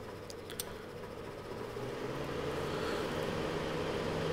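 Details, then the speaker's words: Corrado G60 after replacing the radiator fan: ignition switched on then off and the fan circuit grounded to test it; the fan whirs up and settles into a steady rush over the engine hum, working normally. "ce que j'ai fait c'est que j'ai mis le contact et je les couper et normalement en mettant cette cause à la masse le ventilateur devrait se lancer"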